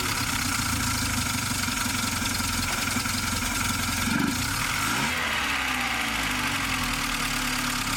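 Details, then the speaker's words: VW Golf Mk3 engine after head gasket replacement, coolant not yet added and air filter box off: catches and settles into a steady, even idle with no knocking or stumbling; runs properly, normal idle. "Obviously it starts, it runs, so I think I'm ready to finish the assembling process and installing the other parts that I miss on this side of the engine, and to pour some cooling liquid and finally see the final result."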